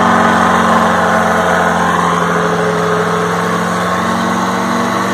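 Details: 1960 Detroit 4-71 two-stroke diesel, ex-generator engine said to have only test hours: a steady, even drone with a constant low hum and no knocks or misses; owner notes a little smoke at low rpm.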